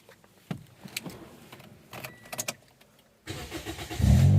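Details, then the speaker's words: Toyota Vios 1.5E 2012, automatic, 109 hp, E20-capable, never gas-converted, cold start: clicks, a brief crank, catches at once and settles into a smooth, even idle; normal, easy start. "ดีสตาร์ทติดง่ายครับครับคันนี้เครื่อง1,500นะครับ"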